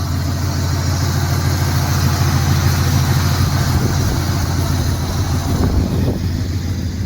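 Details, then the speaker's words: Turbo Trans Am after first start in years on 15–20-year-old fuel, ignition timing set with a lamp, outdoors: steady, even low rumble with smooth unbroken firing and no misses or knocks; clean idle. "I think not so bad for 20 years old fuel or 15-year-old fuel. Yeah, it's pretty good."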